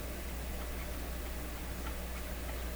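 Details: Clairtone console stereo record changer during intermediate-wheel maintenance, control suspected left in start position: faint quiet ticking repeats over low hum; mechanism keeps clicking without cycling, something not engaging.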